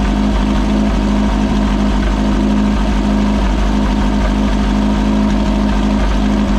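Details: Possibly 1973 VW Baja Beetle, air-cooled, long-stored with no air cleaner, first start after choke adjustment and throttle cable lube: even, settled idle with a steady low throb, no stumbling or surging; normal.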